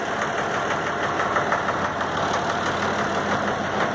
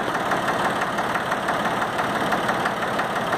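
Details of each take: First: Valtra A750 3-cylinder diesel tractor at idle: uneven beat with an irregular stumble about three times a second, one cylinder dropping out. Misfire caused by one stuck injector. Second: Valtra A750 three-cylinder diesel tractor, previously misfiring, after repair and refill, possibly small air bubbles left: even, steady idle clatter with regular firing and no stumbling; normal idle.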